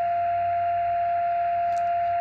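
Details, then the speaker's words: Xiegu X6100 ham radio with no antenna connected: constant pure tone over faint hiss, sounding like someone tuning up; an internally generated birdie, source unclear. "so I that sounds like somebody tuning up and I don't even have any antenna hooked up let's wait a while and see what this is It's really strange"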